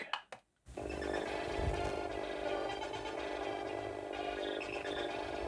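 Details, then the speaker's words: Commodore 64 under repair, playing game music through the SID chip, whose condition was uncertain: constant hiss and buzz under every note; audio output noisy, not clear. "it's not as clear as i was hoping it would be"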